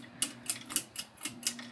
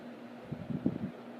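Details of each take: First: 2000 Heritage Fernaux 42" ceiling fan, bought new at a thrift store, switched up to high speed: light sharp ticks about four a second over steady motor hum, then quiet running; drywall debris rattling in a motor vent. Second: 2000 Heritage Fernaux 42-inch ceiling fan, bought new without box, on high speed with very slight wobble and occasional drywall debris in a motor vent: soft steady air rush over a faint even motor hum, no rubbing; quiet on high unlike the noisier medium and low.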